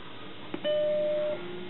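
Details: Macintosh SE at power-on: a click, then one clean sustained chime lasting about two-thirds of a second and fading evenly; a normal startup chime, followed by Happy Mac booting from floppy while the hard disk is not recognized.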